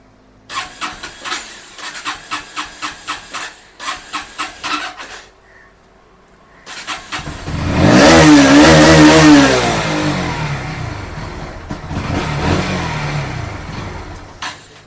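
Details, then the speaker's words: Bajaj Pulsar NS160 BS6 that starts only at full throttle, with battery okay: short cranking bursts, then a rough, uneven catch that dies when the throttle is released, before 4 on the RPM gauge; fuel starvation from water in the fuel and a weak fuel pump. "நாம் த்ராட்டிலை விட்டவுடன் bike அணைந்துவிடுகிறது. சாவியைத் திருப்பி மீண்டும் இயக்க முயற்சிப்போம். RPM நான்கை எட்டுவதற்கு முன்பே அது அணைந்துவிடுகிறது."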